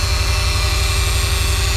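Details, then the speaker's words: 2014 Subaru Forester with used AC compressor installed last year, AC on, engine running, not cooling (80°F vents): harsh steady whirring drone with hissing rasp from compressor, large leak at line o-ring or case seam; compressor must be replaced. "that's making some super nasty noise it's got a huge leak right here either coming from the o-ring on this line or the uh the case is leaking where you go from one side of the case to the other side uh either way this compressor has to be replaced just because of that horrendous noise that it's making"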